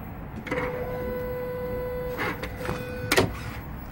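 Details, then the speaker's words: Engine running with accelerator pressed, no trouble codes: steady mid-pitched electric whir whenever the throttle opens, from the noisy electronic throttle body motor. The throttle body is suspected dirty and due for replacement on this hard-working truck; accelerator pedal is fine. "Y voy a pulsar el acelerador y se oye como hace ruido ya. ¿Ves? Como hace ruido el motor. Viene siendo el motorcito del aero."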